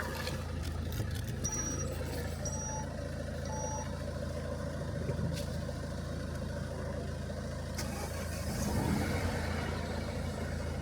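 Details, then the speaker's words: 2016 Peugeot 208 1.2 PureTech three-cylinder after wet timing belt replacement and fresh oil, first start, no oil pressure light: steady low even idle hum, no knocking or ticking; normal idle. "absolutely mint H listen to that three cylinder of course oh it sounds lovely"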